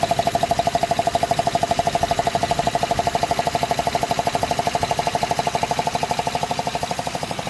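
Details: 2005 Honda Odyssey after fixing cylinder 2 misfire with new gaskets and spark plugs: sharp, very even tapping about three per second, steady, faint tone behind; rhythmic engine knock, cause unknown.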